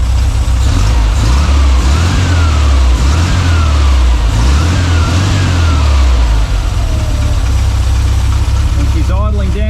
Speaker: well there you have it guys so a new Carby and the little baby is idling Like A Champion